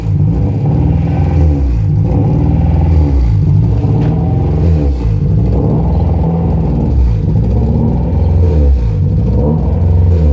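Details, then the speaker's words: Honda Prelude H22 at idle: idle keeps hunting up and down, never settling, worsened since first start-up; vacuum leak at the intake manifold gasket concluded, gasket being replaced. "as you can see the idol does not stop bouncing this it is really annoying"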